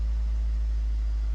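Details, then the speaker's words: Four-cylinder engine starting right after intake manifold gasket and IAC valve replacement, using clear-flood mode: it settles into a steady, even warm-up idle running on all four cylinders, with no stumble or knock. "good to go. Running on all four. Nice warm-up idle. Check out Check it out. Sounds good."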